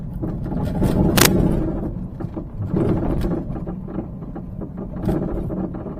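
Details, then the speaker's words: Peugeot 308 front underside while driving: frequent, loud, irregular hollow clunks over small bumps, unchanged when braking, so not brakes; suspension suspected, dampers appear failed; worn anti-roll bar end link. "台标志呢，它底盘下面呢前方呢有一个异响，大家可以听啊，咯噔咯噔的响啊，非常的频繁啊，非常的响啊。"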